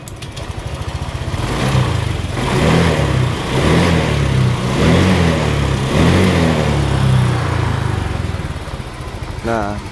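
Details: Honda Vario 125 injection scooter after fixing a rough-sounding engine by replacing the valve rocker arm: single-cylinder putter settles into a steady, even idle with no rattle or top-end roughness; normal idle after repair.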